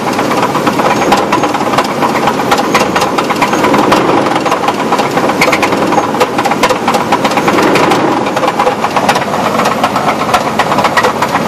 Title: 2000 Chevy Blazer engine knock